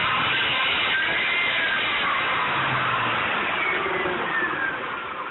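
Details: 1998 Ford Taurus SHO with 80k miles running with a persistent high-pitched whine over engine drone, pitch drifting slightly; source unknown, driveability unaffected.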